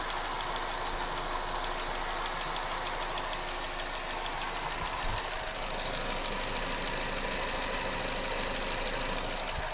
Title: Astra GTC 2014 engine ticking noise